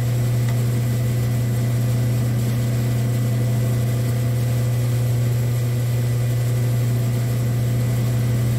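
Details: Saw running while the carriage is screw-driven through the cut, after an auto shut-off repair: steady low hum at constant pitch with no knocks or surges. Normal running.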